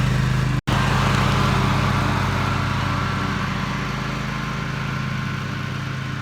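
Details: Toro TimeCutter MX 4200 zero-turn cutting grass after replacing the ignition coils that caused rough running: an even, steady twin-cylinder drone under load with no misses; it runs and cuts well, with a few things left to double-check.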